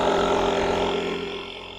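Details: Multitool JA300 jump starter's built-in tire inflator pumping a cold-weather-flat four-wheeler tire to a 14 psi preset: steady even buzzing hum at one pitch, then fades as the pump auto-stops at 14; running normally.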